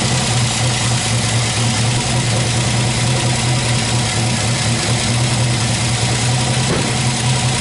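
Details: MGB special engine after tuning, idling: a steady, even idle with a firm low hum and no stumbling or ticking. It runs smoothly and settled.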